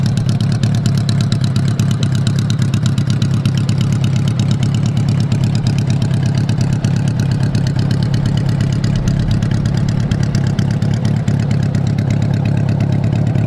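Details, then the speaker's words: 1985 Honda Goldwing GL1200 flat-four idling with the exhaust off after carb cleaning (3 of 4 jets were clogged); loud, deep, unmuffled rumble at steady idle with regular pulses throughout. Normal, healthy idle. "We're just sitting here idling. Man, I hate how it sounds with the exhaust off. It's annoyingly loud, but um I am just super stoked to hear the thing running."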